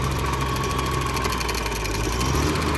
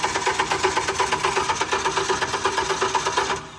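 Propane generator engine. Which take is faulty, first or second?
second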